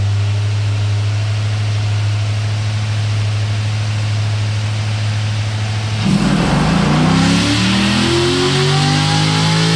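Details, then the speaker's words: C6 Corvette Z06 V8 on the dyno after valve guide repair, full-throttle pull: deep steady drone climbing sharply in pitch, pulling cleanly with no knocks or ticks; healthy. "So as soon as Doug gets back, we're going to listen to this thing run on the dyno."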